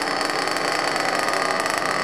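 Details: Ported and turboed Trinity Xtech .24 nitro truggy engine during first-tank break-in; high buzzy idle holding smooth and even with no misses or stumbles: normal idle.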